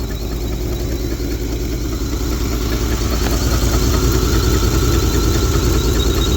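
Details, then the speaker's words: 1971 Lincoln Continental Mark III V8 after rebuild: new pushrods, lifter, head gasket, timing chain, water pump, Edelbrock Performer intake, Street Demon 625 carb, mechanical fuel pump; low loping idle, slightly uneven, more shake than usual; owner suspects exhaust manifold gasket; rough idle. "Got a little more shake to it today than it normally does."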